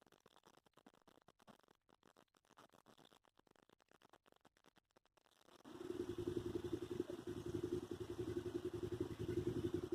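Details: 1964 Ford F350, 60,000 original miles, sat for years. It got new belts, hoses, thermostat, battery, fuses, points and a temporary unadjusted aftermarket carburetor. After a few quiet seconds it catches and settles into an even, steady idle; it runs properly.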